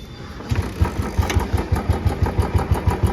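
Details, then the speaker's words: Royal Enfield Bullet Classic 350 just after a periodic service with fresh engine oil, engine freshly started: single thumps about three a second with a very thin "chhan chhan" ticking on top; owner earlier thought it came from the upper side, consistent with timing gear ticking. "But जो ये एक बहुत पतली सी आवाज आपको सुनाई दे रही होगी छन छन की।"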